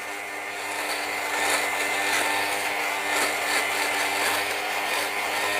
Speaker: i'll keep going until i don't really hear that crunching sound or that grinding sound that you hear see how it's starting to go down